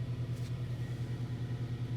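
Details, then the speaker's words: Kia Ceed 1.4 G4FA, 7 years old, 184,000 km, rebuilt for oil consumption and piston knock with cylinders bored 0.5 oversize: first start after repair, oil pressure up, low steady even idle with no ticking, knocking or other noise; normal idle. "давление пошло так работает ровненько без каких либо шумов"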